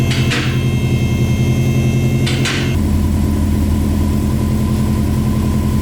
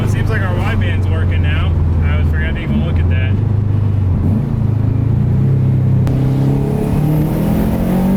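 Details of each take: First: Subaru 2.5RS with a WRX turbo swap and a newly built custom exhaust: steady low rumbling idle with even pulses after a couple of clanks. Exhaust sounds sealed, though a leak at the turbo manifold is suspected. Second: WRX-swapped Subaru 2.5RS turbo four-cylinder revving up and down with a raspy, puffing edge from an exhaust leak at the header-shaped turbo manifold, exact spot unclear, before the manifold is replaced; wideband O2 sensor just changed.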